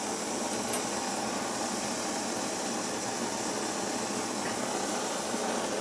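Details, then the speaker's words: Svea 123 backpacking stove just lit, not fully primed, tank not yet pressurized enough: steady soft airy hiss with little body or low roar, a low-pressure burner warming up. "Like I said, the more you heat the tank up, the more pressurized it'll become, and the better it'll produce a flame. This thing isn't pressurized near enough yet."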